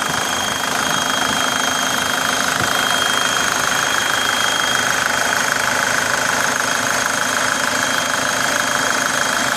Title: Свист турбины